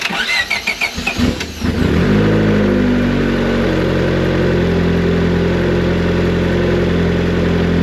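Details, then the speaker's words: Built single-cam turbo Honda Civic after refitting the distributor, before setting base timing, with a new fuel system and changed base pressure: brief cranking, then a smooth, steady idle with no misses; it sounds healthy but is possibly a little lean. "Sounds healthy. It might be a little bit lean."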